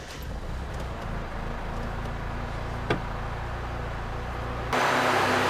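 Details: 1989 Honda Prelude just after cold start, intake tube off, during idle adjustment after code 14: steady fast even idle around 1150 rpm, possibly held up by the fast idle valve before warm-up; base idle not yet set.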